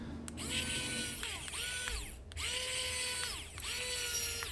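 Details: Tiny whoop drone with the canopy back on, after the ESCs were reflashed and the board was cleaned of a solder blob near the FETs: repeated bursts of high whirring climb and fall smoothly without grinding or stutter, and the motors spin up normally.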